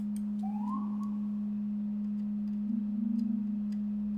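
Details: Keyboard build (HMX KD200, Devastating TKL) during PCB testing, just after some special keys misbehaved. A steady high pure tone drones on without stopping, with a brief rising chirp. It won't shut up; cause unknown.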